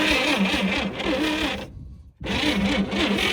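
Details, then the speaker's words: 1959 GMC 100 truck after 30+ years in a field; starter cranks sluggishly and unevenly with a brief dead pause, not catching, even on 12 volts; wires arcing, owner suspects main power feed shorting out. "Yep. That cranks a lot better with 12 volts. Not much better. We got to do something about power. I have to assume it's going to be that main power going in there, which is what's shortening out."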